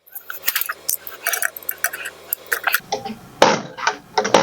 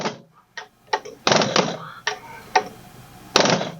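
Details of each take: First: Injector from a 1999 Mack E7 E-Tech with a misfire, on a pop tester: crisp consistent chatter, good spray pattern, opening pressure about 260, low and technically out of spec; return at the fuel hole looks a little excessive. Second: Injector 1 from a 1999 Mack E7 E-Tech with a misfire, on a pop tester: crisp rapid chatter and good spray and atomization, but it pops off at about 270, low and technically out of spec, though possibly not the misfire cause.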